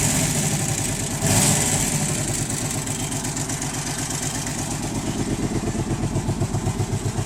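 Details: Arctic Cat 650 V2 ATV V-twin engine idling with a loud, rough knocking pulse about four beats a second; cause unknown.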